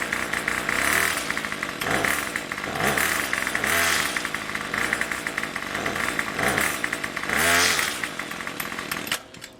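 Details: Craftsman Weedwacker gas trimmer 316.791191, MTD 27cc two-stroke shortblock with Zama C1U-P27 carb, rebuilt with new rings and gaskets; next-day cold start with a little throttle: it picks up cleanly and revs up and down without stumbling, a normal cold start and run.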